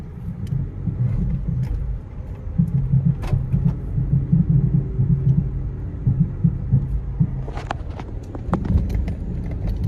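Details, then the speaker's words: Nissan Almera, manual, warmed to operating temperature, AC on, driven slowly in first gear over bumps: dull knocks over cabin road rumble; owner unsure if shocks, axle bearing or hub bearing, springs and shock mounts to be checked. "Yan yung problema guys. I don't know if it's shocks, axle bearing or hub bearing."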